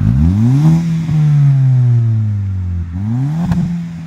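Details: VW/Audi-group TDI/FSI engine, fully warmed up, won't rev past a certain rpm: revs climb, hit a ceiling and stumble back, cutting out intermittently with misfire; no check engine light, codes P0321 and 000801; crankshaft position sensor (G28) fault, sensor replaced.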